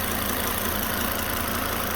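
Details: Car engine idling with the auxiliary belt disconnected: even idle with only a soft hiss and no squeal or rattle. The earlier knock-like noise was traced to a failing alternator, which was then replaced.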